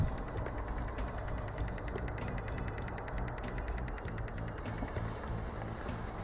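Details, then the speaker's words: Common rail 2.0 diesel with P0088 (fuel pressure too high) code: pressure control valve pulsed from a generator at about 18 ms, 39% duty; fast, even ticking over low engine hum, valve clicking steadily and working. "I w ten sposób jeżeli podłączymy sobie jakikolwiek generator to urządzenie które możemy sobie wysterować impuls-it to już wiemy że to coś działa"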